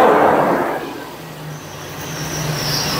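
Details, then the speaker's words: 1976 RV with a Dodge 440 V8 at operating temperature, vacuum line plugged, while the distributor timing is being adjusted: a hard, muffled pop backfires through the carburetor, then fades into a rough, uneven idle. The timing is off and the engine was left inoperable. "that backfired through the carburetor which I don't like"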